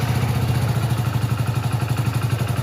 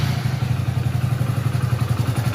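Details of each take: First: 2021 Hero Splendor Plus BS6 with tappet (valve clearance) tick noise, restarted after the tappet setting was adjusted and reassembled: steady, even single-cylinder idle with throttle blips, no sharp valve tick, and the noise is audibly changed. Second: 2021 Hero Splendor Plus BS6 single-cylinder with engine fully cold, at idle: quick light even tick over the thump, tappet noise said to grow as the engine warms; loose valve tappet clearance, due for adjustment.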